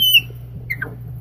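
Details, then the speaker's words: Threading a wooden bottle stopper's pre-drilled 3/4 inch hole with a hand thread-cutting mandrel, no wax or lubricant: a sharp high squeal, then short chirps as the tap turns; dry tap squeak from threads rubbing. "You can hear some squeaking. I could probably put some wax on those threads or some lubricant on those thread cuttings, but I am not as of right now."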